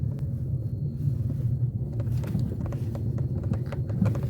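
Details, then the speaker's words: Skoda Rapid: faint irregular plastic taps over road rumble while driving from the roof grab handle above the driver's seat; loose grab handle knocking, to be fixed with self-adhesive felt pads. "раздражающие очень сильно вот это ручка стучит ребята Это точно ручка"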